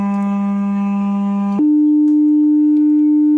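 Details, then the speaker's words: Woofer with possible mold on the cone, 300 Hz sine test: the buzzy low tone steps up to a pure steady note with no scraping or rattle, though lower frequencies such as 200 Hz caused voice coil scraping on the magnet. "it's 300 Hertz and that sounds absolutely fine"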